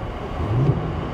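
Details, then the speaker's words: Vehicle with 83,000 miles, oil pressure 45 PSI and boost reading 0, airbag light on, no warning messages, voltage good: a short clean rev blip swells and settles to a steady low rumble; throttle picks up promptly, engine runs great, normal response. "Look how responsive the throttle is. I mean, as soon as you tap the gas, man, boy, she..."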